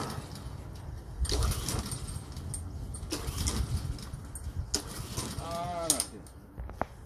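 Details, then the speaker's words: Troy-Bilt mower with Honda engine: three pull-cord cranks, each a short churning burst that never fires; no start, with water found in the fuel drained from the carburetor. "Troy built. Honda engine will not start. Let's see if it's, yeah, it does not"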